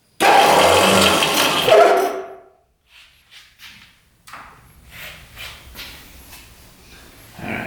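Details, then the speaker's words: 1973 Ski-Horse Johnson snowmobile sat 40 years, battery connected at about 5°F: loud electric starter whir for about two seconds, stopping abruptly then faint clicks; starter grabs and sticks, suspected. "Seems like the electric start was somewhat grabbing and got stuck."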